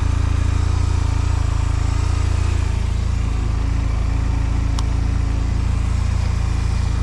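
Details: 2005 Honda Silver Wing scooter just started for first time after sitting mossy, oil and coolant checked: low even hum at about four beats per second, no knocks or misses, idling smoothly; normal idle.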